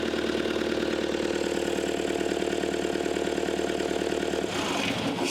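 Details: Caterpillar 259D skid steer with newly installed engine, started after fixing a wiring plug communication issue: steady, even diesel idle with a regular beat about three per second, no knocks or misses; running normally.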